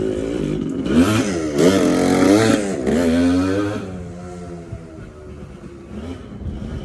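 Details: TC125 two-stroke dirt bike after a carb clean and a new fuel line with filter, on a cold day: crisp buzz through quick revs, then settling to a steady putter; pulls cleanly, runs healthy.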